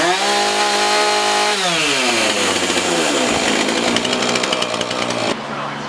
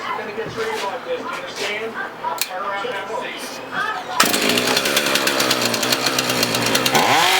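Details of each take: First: Husqvarna 450 X-Torq chainsaw, after carb diaphragm, primer, fuel line, filter, rope rotor and sprocket repairs and chain sharpening, test run on the bench: clean steady buzz, rpm climbs and falls evenly before shutting off; runs smooth and healthy. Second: Husqvarna 450 X-Torq chainsaw after carb pump diaphragm replacement: fires ragged and uneven, then revs climb and hang in a thin whine, starving for fuel; running lean from an air leak through a hole in the primer bulb.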